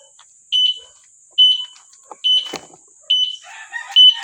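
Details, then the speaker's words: E-bike alarm after replacing a rusted horn relay that had made the alarm sounds mix together. It now gives clean, high chirping beeps about once a second while the signal lights flash, so the alarm works properly. "Dapat ganyan mangyayari. Natunog siya at the same time naandap yung ating signal light."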